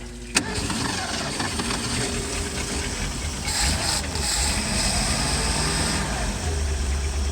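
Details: Mastercraft inboard ski boat after 5 years in storage, fuel system cleaned, carburetor serviced, oil and transmission fluid changed, new plugs: brief starter whirr, catches cleanly and settles into a steady even run, no misses or knocks.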